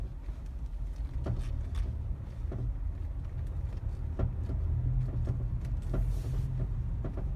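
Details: Mazda 3 BM, knock only in cold/frosty weather since purchase, while driving, not tied to bumps; irregular sharp knocks from underneath over low road rumble; owner suspects the dealer-installed crankcase guard, unconfirmed.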